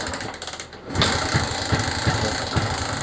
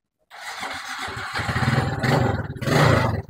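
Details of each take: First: Suzuki Smash motorcycle that keeps stalling: uneven, stumbling low putter with irregular pops ("blebek blebek"), unable to hold an idle and dying easily. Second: Suzuki Smash motorcycle after carburettor service and new spark plug, restarted with air filter refitted but air screw not yet set: small single idles unevenly with surges and dips; uneven idle before adjustment.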